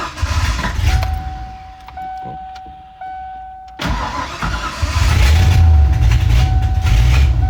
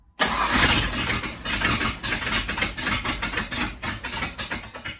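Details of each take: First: Ford Ranger with swapped 5.0 V8, first run after completing the build: cranks and fires, rough idle with sharp puffing tick three or four times a second over the rumble; bad exhaust leak, to be fixed. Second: Ford Ranger with a swapped 5.0 V8, first start after fixing wrongly wired distributor power: catches on the first crank and settles into a rough, lumpy idle with loud exhaust pulses. Starts fine; ignition timing not yet set.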